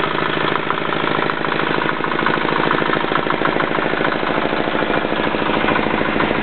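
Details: Yanclone Suntom 186CF 406cc single-cylinder diesel in a Royal Enfield motorbike, second test run after rebuild (injector, fuel line, head gasket replaced, valves decoked): even thumping about three beats a second, no misses or metallic knock; healthy idle.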